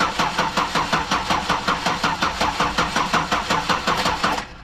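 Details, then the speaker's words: 2009 Buick LaCrosse cranking on a booster pack with the battery at 2 volts. Even cranking that never catches; a no-start with no spark. "Okay, to me it looked like there was no spark."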